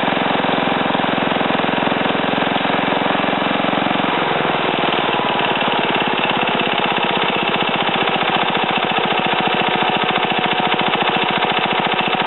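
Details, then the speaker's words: Ariens TA20A Trans-a-matic tiller after engine rebuild and plate clutch repair, carburetor untouched: single-cylinder settles into a steady, even firing beat, note dropping as it takes up tilling load in wooded ground; normal running. "so in any case um i'm going to put this camera back on a tripod and then start it start it up and um run it through the ground here a little bit out my little wooded area"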